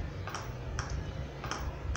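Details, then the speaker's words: Philco TCM-2044 TV: on power-up the standby LED blinks and a light tick repeats roughly twice a second from the speaker as the set switches on and off; an open resistor has the set cycling. "liga e desliga e fazendo um barulho aqui no no no no altofalante vou mostrar para vocês o barulho"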